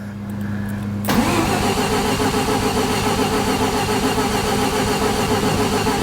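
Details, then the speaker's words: Crank, no start on a 1988 Mazda RX7 rotary after a new aftermarket fuel pump, fuel filter and gas tank; steady starter drone with no firing or pickup, and pumping the gas pedal does nothing. Pump can't be heard running. "Come on. That doesn't do anything. Pumping the gas pedal does nothing."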